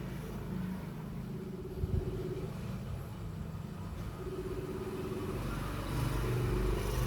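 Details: Mitsubishi Mirage G4: low idle rumble with an uneven, stumbling beat about four times a second; scan tool DTC confirms a cylinder 1 misfire, with spark plugs then addressed and the code cleared.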